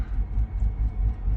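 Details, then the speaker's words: Mercedes R500 V8 auction car just started with a weak battery: deep, lumpy idle throbbing about five times a second with uneven beats, missing; cause found to be a faulty EGR valve. "Well, the fire's right over, but it does sound a bit rough."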